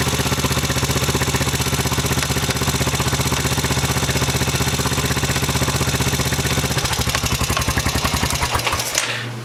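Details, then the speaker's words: 2007 Honda Foreman 500 ATV, close to 6,000 miles, on jack stands: steady rapid thumping about four a second that slows as it winds down, popping in first gear from the transmission; engine runs good, chipped gear tooth suspected, not confirmed. "Motor runs good and everything, but in first gear it's making a little bit of a popping noise."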